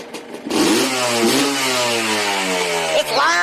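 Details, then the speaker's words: Yamaha Blaster two-stroke revved hard under a carport before a clutch replacement: a high ringing note winds up, climbs in pitch and holds steady before a second blip. Loud but sounds good, normal revving. "loud under the carport. So loud, but it sounds good."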